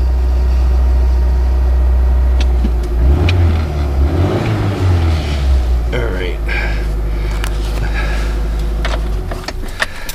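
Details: One of three vehicles (1996 Ford Ranger, 2000 F150, 2002 Dodge Grand Caravan) cold-starting in a roughly 70-degree sunlit garage after sitting 3+ weeks; catches after a short crank, wavers briefly, then settles to a steady low idle, a normal cold start.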